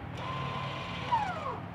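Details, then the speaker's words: Tesla Model 3: short, loud, high motor whir from the rear when shifting into park. This is the electric parking brake clamping the disc, and a faint release follows when driving off. Normal parking brake engagement. "ar makes this really loud whir sound coming from the back of the vehicle and I had no idea what it was at first I actually had to look it up but it's actually the brakes when you put the car in park tightening it around that disc to keep your car in place"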